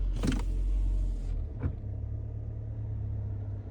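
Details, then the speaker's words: 2018 Nissan Altima SR after replacing the passenger-side engine mount, idling in reverse: steady low idle with no rattle or buzz from under the glovebox area; normal idle. "Can see she sounds good now. No more rer sound. Take a listen. And we go to reverse."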